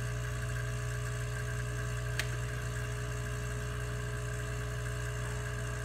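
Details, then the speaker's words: Bezzera Strega espresso machine under repair test, heating up: quiet steady low hum with faint constant tone and one small click, steam expected from the vacuum breaker; heating normally. "if you can hear this you can hear the Machine beating up and we'll see steam coming out of the vacuum breaker in the second"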